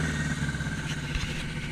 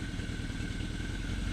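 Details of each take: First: 1981 Yamaha XS1100 cafe racer powered by Speeduino, idling: uneven idle beat slowly creeps upward as the engine leans out running out of gas; idle rise from fuel starvation. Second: 1981 Yamaha XS1100 cafe racer running Speeduino engine management, restarted as its temperature climbs: steady low rumble at idle with an even, unbroken beat, no misfire gaps, all cylinders pulling together. Normal idle.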